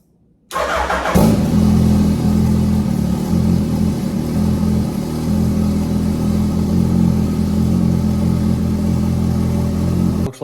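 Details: Turbo Hayabusa after fuel system fix for leaning out and a hiccup during burnouts: fuel pump primed and pressured, then fires at once, blips briefly and holds a steady, even idle for about nine seconds; normal start and idle.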